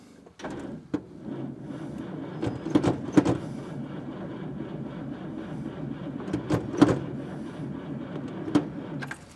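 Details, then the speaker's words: 1954 Packard Clipper Deluxe with straight-eight flathead engine on a 6-volt positive-ground system and a not fully charged battery: sluggish, uneven starter cranking for several seconds with no catch; slow cranking, no start, spark not yet checked. "And you can hear it. The battery's not fully charged, but it is a 6-volt, and that is the way they run."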